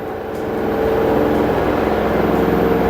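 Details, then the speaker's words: LG 8 kg inverter washer-dryer after a water-damaged display repair: a smooth, rising motor whine as the drum winds up to about 1370 rpm of a 1400 maximum, then a steady hum with no banging or grinding. The spin is normal. "1300. It is coming only maximum, it's showing 1370 or 70. It's not showing 1400, but it is okay, it's perfect."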